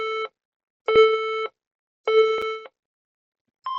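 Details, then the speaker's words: HP EliteBook 830 G6 brought in as not powering; irregular long high beeps, three long then one short, no fan noise, the memory error code: RAM missing or faulty, or a faulty RAM slot. "That beeping sound, it is called the error code for memory. When the laptop is having an issue with the memory, that's actually the sound which you expect."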